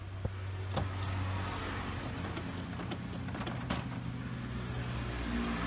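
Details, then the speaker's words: HP printer that had jammed and made a loud, rough noise, retested after the carriage was refitted with its sensor back in the encoder strip: quiet steady hum, short rising motor whirs and sharp clicks as the carriage travels; working normally again. "Nah, setelah kita masukkan pada sensornya, Micanya, kita pasang lagi, kita akan coba lagi, dan seharusnya printer bisa bekerja kembali dengan normal."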